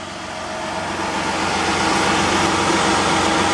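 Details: 2001 Ford Escape after alternator replacement, charging at 14.4 volts with battery light out: smooth steady idle with even beat and no squeal or whine from the belt side.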